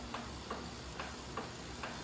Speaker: If I sit up, no clicking noise. Normal position, clicking noise. Now lean to the side, no clicking noise. Back to center, clicking. Shifting, still clicking.